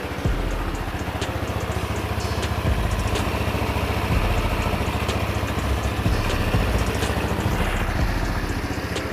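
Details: Empire Outlook scooter brought in for a strange engine noise after running out of oil (suspected rod knock); after new oil (~900 ml), new coolant and the fan rewired, the small single holds a steady, even idle with no ticks or knocks, over music.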